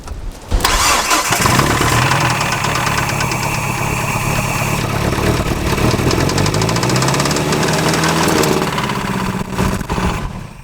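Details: Neglected Nissan Frontier four-cylinder on a freezing day, cranked with oil added to the cylinders: catches and runs unevenly with lumpy beat, heavy smoke; really bad low compression, rings shot, needs rebuild.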